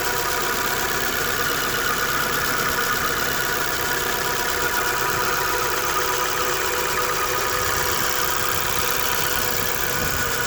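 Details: Dodge Dart engine idling with a steady high-pitched whine that holds one pitch throughout.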